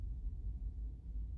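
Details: Nissan Pathfinder, warm idle, heard inside the cabin after replacing the PCV valve and intake manifold gasket: a soft, steady low hum with no rattle or drone. The earlier loud, diesel-like noise, louder on the passenger side, is largely fixed.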